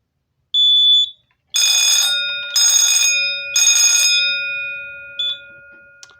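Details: Simplex 4005 fire alarm panel under test: one short high tone, then three steady one-second shrill horn blasts about a second apart; sounders working normally.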